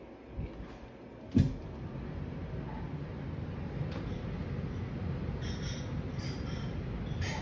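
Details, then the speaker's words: Newly installed Fujitsu two-ton central AC system: loud, steady rushing roar building within a second of start-up and holding constant, likened to a jet engine; air forced through restricted ductwork. "is this not so loud are we just crazy it's not so loud i thought i was in here like a jet engine like an f-16 going off"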